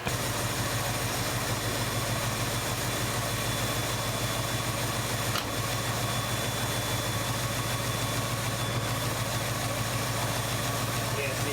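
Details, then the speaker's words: 1970 Ford Mustang Mach 1 V8 barn find, stored since the 1980s, first run on fresh gas: uneven, lumpy, stumbling idle. It runs but not well; suspected low compression in one cylinder from a bad intake valve, with a compression test planned. "We started it up, she ran, but not well."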